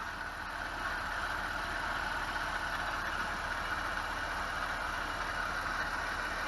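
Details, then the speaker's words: BMW E46 at idle after valve clatter was fixed: constant whirring hum above the engine note, pinpointed with a PVC-pipe stethoscope to a worn tensioner pulley. "sounds like the tensioner pulley let's replace it and see if that helps"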